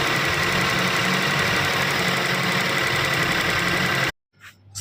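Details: Nissan with uneven, stumbling idle, irregular pulses about three to four per second, then it cuts off; a misfire, cause not pinned down.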